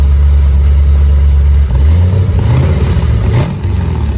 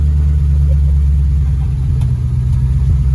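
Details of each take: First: V8 car with newly welded Flowmaster U-fit stainless dual exhaust, Hooker Blackheart mufflers and electric cutouts: deep, even low rumble at idle, then sharp throttle blips rising and falling cleanly; healthy exhaust note. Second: V8 car running on its old exhaust before a new custom dual exhaust install, with the engine reading lean while relearning: a loud, deep, uneven rumble with a loose, fluttering rattle from a blown-out muffler.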